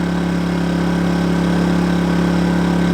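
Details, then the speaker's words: New KINGS 2kVA generator running a caravan air conditioner set to 16°: steady, even drone with constant mid-pitched hum, slightly louder under load but holding speed smoothly with no hunting or surging. "so I just put the airon on 16° it did get a little bit louder it's not offensively loud"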